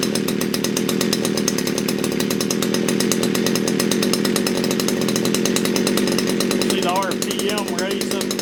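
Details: Poulan Wood Shark chainsaw with a no-start problem, after the low jet was leaned out slightly: small two-stroke screams at a high, steady rev with no load and won't settle; racing idle, flooding, owner suspects a sticky needle and seat.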